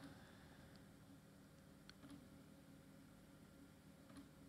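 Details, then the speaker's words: Scrapyard Creative optical drive: quiet, uneven clicks about every two seconds with no motor whir and no spin at all; the drive doesn't work, and Creative drives are said to be failure-prone. "but I hear a lot of clicks there is no spin whatsoever yeah this drive definitely doesn't work"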